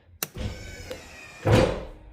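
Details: Ram RHO with newly installed Rough Country electric running boards, cycled via switch before door magnets fitted: short motor whir then a solid thunk as steps hit their stop; normal deployment.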